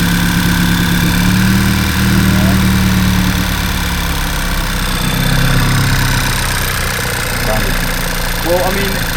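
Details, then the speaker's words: Audi A3 8P, undrivable 11 months with misfires, after retiming and flashing a base ECU map with injectors mapped: started first time, idling before reaching temperature, with a steady settled rumble and no knocks or misses. Runs perfectly. "The car actually started first time and I just couldn't believe it to be honest. I was astounded. It ran It It runs perfectly."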